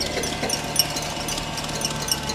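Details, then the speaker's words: 1998 Jaguar XKR supercharged, engine running: uneven flapping slaps and light ticks as chewed-up inner accessory belt whips around on a seized, non-spinning tensioner pulley. "you see the belt is chewed up and you see that right down there on the tensioner that is not spinning that has se though it sounds absolutely terrible"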